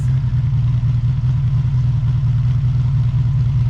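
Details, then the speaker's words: Honda VF750F V4 motorcycle idling at about 1000 rpm, choke off, warming up before carburetor sync: a smooth, even low rumble with a steady beat and no ticks or knocks. Normal idle. "it does have a nice nice sound these these V4 sound so good when they're running in my opinion one of the better sounding"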